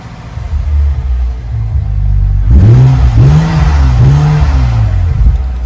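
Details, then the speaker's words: BMW F10 535i N55, started after priming, despite a warning light, on a 36°C day, following a swap to an aftermarket ~450 l/hr stage 2 low-pressure fuel pump, fitted to try to cure random stalling. Catches, revs in a few rising and falling sweeps, then runs without stumbling; the pump is delivering fuel. "fact that the car didn't burn me means clearly the pump is working, fuel is arriving at the engine."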